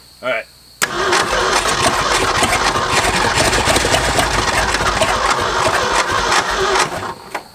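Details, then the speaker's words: Late-1960s Ford F-250, 71,000 miles, first start in 26 years: cranks then runs ragged and uneven, firing on only some cylinders; deteriorated spark plug wires suspected, not confirmed. "right you see how it's kicking over on some cylinders and all others so I think what we could do is foam out a few of these spark plug wires"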